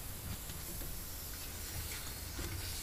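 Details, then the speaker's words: Viking Professional wine cooler, evaporator coil pulled from wall: steady quiet hiss of freon escaping where the cap tube enters, a big leak on a corroded line; coil to be removed, cleaned, repainted and line retubed. "i pulled it away from the wall and i can hear the freon coming out up here it's pretty pretty big leak"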